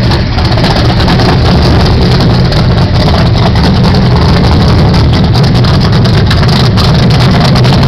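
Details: 1978 Pontiac Phoenix, 355ci small-block Chevy V8, 650 Proform double-pumper carb, Vic Jr intake, 3-inch pipes into 5-inch bullets: loud lumpy uneven idle that wanders; rough idle, carb still needs final adjustment.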